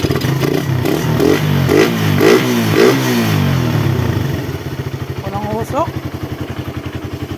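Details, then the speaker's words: Suzuki Raider 150 carb after loss-of-compression repair (leaking intake valves, valve seals replaced, stud threads fixed), now 28 mm KD round-slide carb: crisp clean blips then steady, very quiet stable idle. "Sobrang tahimik ng makina mga paps. Ayan naka 28 mm na na carb siya. KD na round slide. Stable na stable ang menor."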